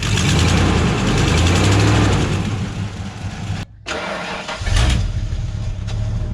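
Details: 1996 Ford F250 4x4 that sat a long time, first start. Engine catches and runs loud and raw with rough low puffing about three beats a second; exhaust leaking from manifolds through muffler, needs manifolds, muffler and catalytic converter.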